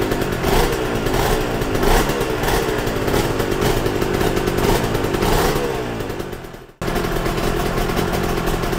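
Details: Yamaha TZR 250 3XV two-stroke twin, rewarmed with idle raised for carb balancing, pipes earlier at 109 versus 82 degrees: uneven, ragged crackle while revving, one cylinder pulling harder, carburettors out of balance.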